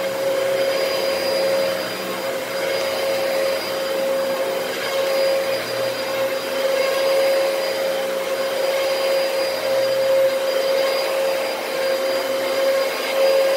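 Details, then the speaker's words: Used Dyson DC33 bought on Facebook Marketplace: a steady, even high-pitched whine rides over the airflow roar; the motor sounds unhealthy. Owner suspects a dirty HEPA filter but thinks it is probably the motor. Cause unconfirmed. "that motor doesn't sound very healthy it sounds kind of whiny but I don't know maybe that's just a HEPA filter being dirty that's probably the motor"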